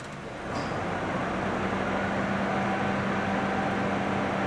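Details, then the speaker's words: 2009 Honda Civic 1.8 16V after throttle body cleaning and idle relearn (owner complained of high, oscillating idle), AC switched on: steady even idle hum holds firm, only very slight dip from compressor load; normal idle with AC on. "Ele dá uma leve, muito leve osciladinha, porque o compressor do ar-condicionado aplica uma certa carga no motor quando você dá a partida no ar-condicionado."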